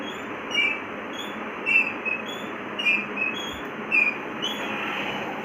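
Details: Rocking chair with dry, rusty hinges: short high squeaks about once a second in time with the rocking, disappearing after spraying rust remover on the hinges.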